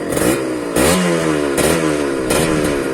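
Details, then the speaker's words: Kawasaki Ninja 150 two-stroke checked before buying used: quick throttle blips about every 0.8 seconds with a raspy, crackly two-stroke bark through a loud pipe. Slight roughness is normal for a two-stroke; normal revving. "Kalau agak kasar gak masalah ya agak kasar gak masalah yang namanya dua tak itu Ya wajarlah ya gitu"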